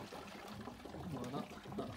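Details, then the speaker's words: Oase BioMaster Thermo 250 external aquarium filter, which had failed to restart, after cleaning the pre-filter head: soft steady water trickle and faint pump hum with no rattle or gurgling; normal flow restored. "fait déjà un bruit déjà plus normal maintenant bien voilà c'est rétablit"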